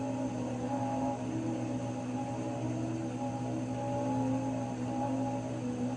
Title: Raypak 106A whining noise again